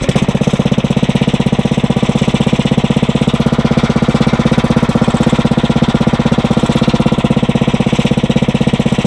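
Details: Briggs & Stratton 900 series engine, used about 2 hours a year, oil unchanged for a long time, just cold-started on choke on the first pull after cold nights; even single-cylinder chug at four beats a second, no misfires or knocks. Normal idle.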